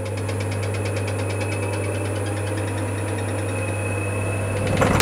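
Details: High-end wood lathe running with an out-of-round workpiece: deep steady hum with faint rhythmic thrum about four times a second; the lathe shakes, walks, and lacks stability, causing poor cuts.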